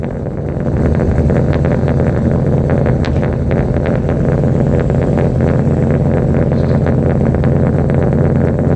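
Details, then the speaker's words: Ram SRT10 Viper V10 truck, cold start at about 12-13°C before a header temperature check; deep loud steady rumble with no skips or knocks, idling cleanly on all cylinders, spark plugs previously read fine. "Alrighty, we're going to do a cold start and a header temperature check on the SRT10 Ram. See what she sounds like cold."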